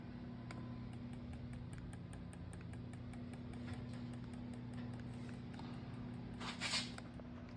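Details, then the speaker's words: Mitsubishi Eagle Talon with SRT4 swap on MegaSquirt, quad spark skipped, before first start: faint, sharp, evenly spaced clicks about four a second over room hum as each coil pack fires; coil B later noted as sounding hollow. "I skipped the quad spark and now the coil packs fire it's irritating because I've been stuck on that for a long time"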